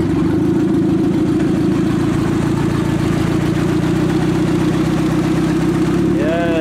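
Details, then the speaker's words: 1995 Acura Integra with turbo kit, aftermarket cams, and a newly fitted head, after a fix for a non-firing cylinder; loud, steady, even idle with no miss; misfire fixed, radiator not yet filled. "all right guys it's all buttoned up up there let's start it up together oh oh winch wipers are on okay neutral there we go that sounds so much better"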